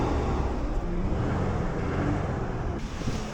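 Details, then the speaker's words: 2001 Ford Ranger after fuel pump replacement, first start, jump-started on weak battery: engine picks up cleanly on a quick blip and falls back to an even idle without misses; normal rev. "Oh, fuck yeah, bud. She's fucking running. Obligatory rev."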